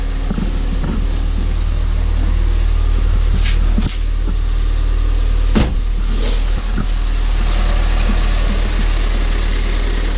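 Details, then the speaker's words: Ford Fiesta ST, crash-repaired, warm idle heard from outside: deep, even, steady idle with a smooth low rumble and no knocks, ticks or hunting; healthy engine. "That to me purrs like a kitten. It sounds beautiful. Yes, I'm happy with that."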